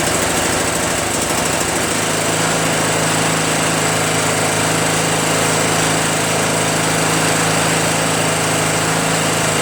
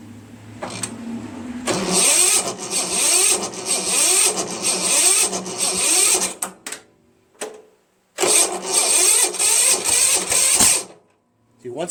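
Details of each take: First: Craftsman (Yard Machines) chipper shredder small single-cylinder flathead engine after starter repair and valve-seat clean-up: steady, even running with a fast regular beat, no misses or knocks; sounds healthy. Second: Tecumseh 13.5 engine with hard starting: slow, labored cranking in bursts that bogs and never catches, because the starter gear hangs up on the flywheel and keeps the engine from spinning faster.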